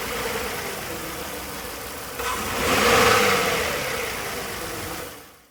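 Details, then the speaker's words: Ford Flex 3.5L V6, code P0306, after stretching the coil's spark plug spring: uneven, stumbling idle with a brief swell midway; cylinder 6 misfire from a faulty ignition coil, needs replacing. "well not lucky on this case so we'll have to actually replace that coil since i've had this happen before i'm certain that it is this coil pack i can tell from the behavior"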